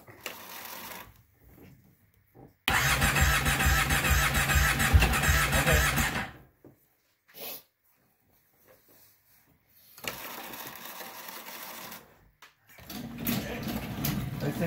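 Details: 2005 Kawasaki Brute Force 750 ATV with electrical misfiring, running worse after new plug caps: steady starter churn about three turns a second, engine never catches; cranks but no start, failed CDI, no spark.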